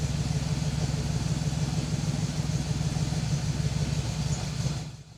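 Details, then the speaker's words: 1978 Datsun 280Z being brought back to driving condition, running after alternator hooked up: steady low drone with even pulse, smooth and strong, then cut off; normal running. "It was nice to hear the Datsun running again, but at the same time, it was bittersweet because typically this is about the time I would call him and let him know that I've made good progress."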